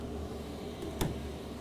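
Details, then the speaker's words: Happybuy 5 kW Chinese diesel heater in a cargo trailer tiny home, after switch-off via the off button: quiet, even fan hum with one soft click as it cycles down blowing cold air over the unit to cool it; normal cooldown. "It cycles down and it'll run cold air over the actual motor on the outside to help cool it down."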